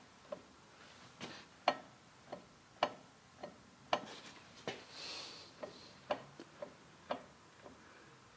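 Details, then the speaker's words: BMW Z3 (E36 platform) with clunking on gear shifts, rear wheels rocked back and forth: sharp dull clunks every half second, owner thinks from the differential or possibly the U-joint; cause unconfirmed. "so let me move those wheels back and forth and i can hear the clunking and that is certainly coming from my differential"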